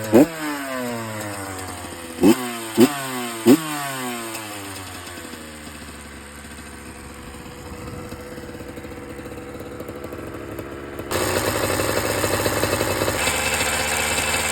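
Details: 2007 Honda CR85RB two-stroke: a few throttle blips, settles to idle, then turns rougher and rattly; engine rattle of unknown cause, suspected but not confirmed.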